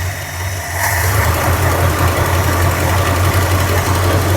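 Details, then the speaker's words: Tired 1976 Dodge Club Cab 318 V8 with low oil pressure and a shot, leaking carburetor running very rich: idle rises and settles into a rough chuffing beat with uneven puffing tick and heavy valve-train noise; terrible exhaust leak. "This thing is still leaking everywhere. Boy, that exhaust leak is terrible. What is going on there?"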